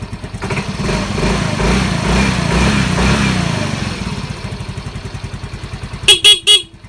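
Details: Yamaha Mio M3 fuel-injected scooter after fixing a MIL code 46 charging fault (regulator/rectifier check): soft even idle, then three short, loud, clear horn blasts. The horn works at full strength.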